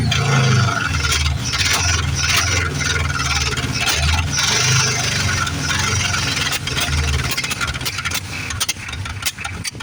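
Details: 1973 Plymouth Fury III with 360 V8 just installed after car sat engine-less 7 years: stumbling run with irregular spits and pops over wavering note; vacuum leak from blown carburetor gasket, owner first suspected carb issues or timing.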